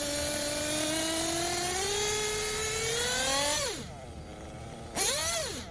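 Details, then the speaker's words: Tekno Blok 21bm nitro RC engine after tuning: steady scream, smooth climb in pitch through mid-range throttle, clean drop-off and crisp blips with no bogging; healthy throttle response. "we'll check the top and all that sounds good to me"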